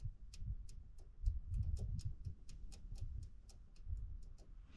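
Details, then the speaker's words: 1993 Ford Mustang 5.0 SSP police car, sitting since 2010, key on: light regular ticking about three times a second over a low rumble; in-tank fuel pump faintly clicking but not running, owner suspects the pump needs replacing. "I can hear the pump like ever so slightly clicking but"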